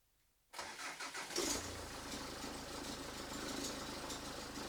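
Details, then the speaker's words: Mazda 6 GH diesel cranks, catches and idles with a thin, high squeal over the diesel clatter. The cause is worn accessory belt idler and tensioner pulley bearings (203 bearings), and the squeal was gone after the rollers were replaced. "Так, автомобіль начав видавать дуже страшні звуки. Час я заведу, продемонстрирую і потім буду знімати ремень. Якщо скрижит пропав, значить це точно заміна роликів ремня генератора."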